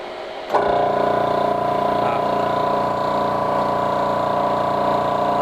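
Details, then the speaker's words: Air compressor for 4500 PSI airgun tank fills, the second unit compared (the non-Omega, presumably Air Venturi), with a hefty loud fan: kicks on abruptly into a steady hum, even pumping beat of about four strokes a second; like a quieter construction-site compressor, normal. "I think this sounds like a typical construction site compressor not quite as loud but definitely not as quiet"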